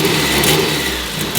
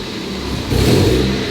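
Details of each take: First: Warm Mazda Miata after 30K-mile service with new spark plugs, ignition wires and fuel filter, checking earlier low-end stumbles: engine blips up cleanly and drops back smoothly, no obvious stumble or misfire; seems a little better. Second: Mazda Miata, engine slightly warm, revved from the engine bay before a 30K service of spark plugs, ignition wires, fuel filter and PCV valve: brief low-rpm stumble before revs climb, not picking up cleanly; cause suspected, not confirmed.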